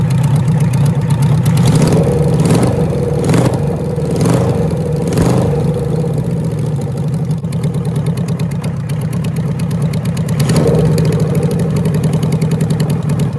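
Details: 1974 Kawasaki Z1B 900 four-cylinder engine, never apart since factory, run out of the bike for the first time since 1979; crisp even idle with a few sharp blips that settle back cleanly, carbs balanced by wire and blowing: normal idle.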